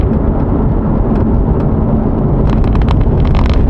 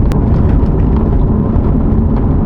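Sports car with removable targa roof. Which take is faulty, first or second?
first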